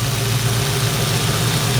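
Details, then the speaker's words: 1972 Ford Mustang 351 V8 after converting from a 2-barrel carburetor to throttle body fuel injection from an old Chevy pickup: steady, even low burble with no misses or ticks; normal idle. "So, it runs seems to be pretty smooth. Seems to uh seems to run pretty well."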